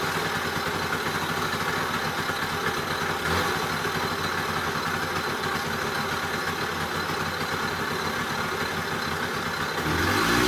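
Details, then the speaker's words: Old Honda Express moped, started after revival: steady running with a loud, rough metallic rattle throughout, like a can of bearings; source unclear; engine rattle. "it sounds like a coffee can a metal coffee can full of borrowed bearings let's take this jewel for a rip while we can before it scatters itself all over the shop in the yard and everything else"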